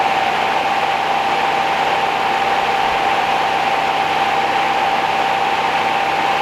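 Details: 1969 Rover P6 Series 1 3500 V8 automatic, first start after 16 years in a garage, choke used: steady, smooth low-hum idle with no tapping or rattle, engine feels tight. No petrol came from the pump; owner suspects the pump or the line.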